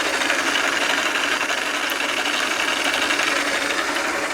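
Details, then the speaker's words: South Bend lathe gear train after adding a one-shot oil pump lubrication system with a guard that drains back to the reservoir: a smooth, even whir with light rapid patter and no grinding, growing quieter with each pump; normal, well-lubricated running. "oh I like it gets quieter every time I pump it"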